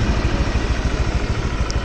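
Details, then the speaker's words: Honda Vario scooter with oil consumption and oil leak complaints, idling after being revved: rough idle with a dull steady clunk about six times a second from inside the engine, before CVT check; connecting rod knock. "Suaranya kemplotok, guys. Jadi ada suara klotok gitu."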